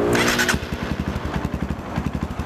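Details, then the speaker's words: Motorcycle with Juken 5 ECU, idle timing mapped for rumble at about 70%; after a blip the engine drops to a lumpy, uneven idle rising and falling from an over-rich mixture, while upper RPM runs normally. "Tapi ini suara mesinnya pincang, bro. Suara mesinnya tuh naik turun ya."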